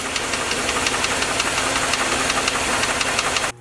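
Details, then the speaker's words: Suburban V8 idling with a sharp, regular metallic knock that disappears when the number five plug boot is pulled and returns when it is refitted, confirming a worn rod bearing on number five with excess journal clearance. "knock is gone i put the boot back on now it comes back again knock's on knock comes back so that is definitely a rod bearing number five"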